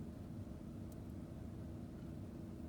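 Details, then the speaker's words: 2012 GMC V8 truck at idle after replacing one faulty spark plug that had caused misfires, severe shaking, check engine light and traction control faults; now a steady, even rumble with no stumble. "all right i'm gonna start it up and see what happens well it's running a lot better"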